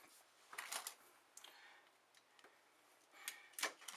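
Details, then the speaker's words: Upright Frigidaire freezer not cooling, reading 72 to 65 degrees with constant clicking: removed compressor start relay shaken gives faint clicking rattle of loose internal bits, with corrosion inside; failed start relay. "now now you hear this you hear that shaking that and the corrosion that's on the inside of this that lets you know that this is bad"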